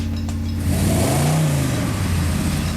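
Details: Fresh Chevy 454 big-block V8, hydraulic flat-tappet cam on break-in oil, 750 CFM Summit carb, on dyno: deep, even rumble climbing smoothly as revs rise under load, no knocks or misses; healthy, later made 407.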